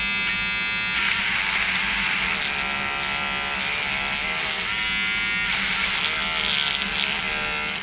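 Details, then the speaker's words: Corded Wahl Peanut trimmer cutting a horsehair bristle brush: high electric buzz repeatedly sagging and recovering in pitch as the motor bogs down under load, unlike battery trimmers tested. "So the Wahl Peanut was getting bogged down when it was cutting the horsehair bristle brush, and a lot of the other trimmers did not."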